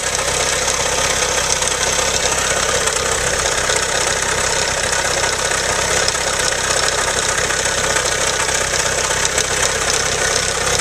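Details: Engine at idle, owner asks whether it is a spun bearing: fast uneven tick-tick, about two or three a second, over the engine hum; source not pinned down, cause unconfirmed.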